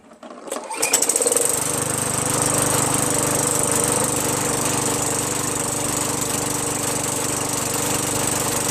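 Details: Craftsman 21in push mower with a 5.5HP Tecumseh engine that previously started only when primed, then stalled. After a quick carb bowl cleaning with carb cleaner, fuel flows; it starts and settles into a steady, even run without surging or dying. Normal running.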